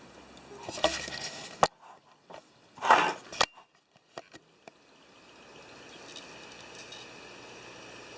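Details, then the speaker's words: Gen 2 Drobo 4-bay SATA unit on FireWire 800, powered back up after its fan was replaced with a silent fan; handling clicks, then a low, even whir rises and settles as the drives spin up normally. "So you can hear it spinning up all the drives here."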